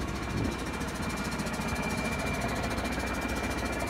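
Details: Cheap used semi truck with low power, a burning smell, smoking brakes and a check engine light on: loose, uneven knocking at about one to two beats a second over the labouring diesel. The source is unclear.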